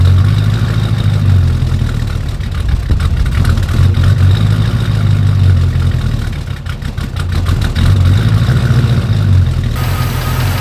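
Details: 1940 Ford truck after replacing damaged headers with new ceramic block-hugger headers: deep steady idle rumble with even beat and no ticking or puffing leaks; exhaust sealed and healthy.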